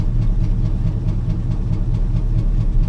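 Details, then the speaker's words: Chevy C10 pickup sat about five years, first run on fuel poured down the carb, no coolant, cold, exhaust cut off: deep uneven unmuffled burbling idle with ragged low thump and slight vibration; rough idle, no rod knock heard yet. "see we'll have to let her warm up a little bit because again I don't have any water in it it sounds terrible because he's cut the exhaust off of it"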